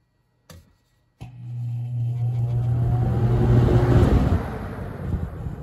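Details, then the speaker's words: Holmes HABF-20 box fan (Feb 1997), seller's note said "hums". Startup on high: a click, then the motor hum rising into a growing air rush; normal start, with dogs snoring in the background. "We'll start with high speed. And once again, we have the dogs snoring directly above me. Hopefully we can hear the startup over that and not get it confused."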